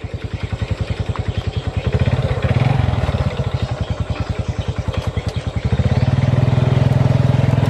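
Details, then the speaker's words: Honda Revo FI single-cylinder motorcycle: a labouring thump that swells with throttle but won't climb a plank bridge in first gear, with a rough knocking sound. Power loss of unconfirmed cause; owner plans to check the right side, then the piston. "Kalau masih ya kita cek di bagian piston karena motor ini enggak ada tenaganya juga. Lihat ya. Ini setinggi papan ini enggak kuat pakai gigi satu. Ini enggak kuat."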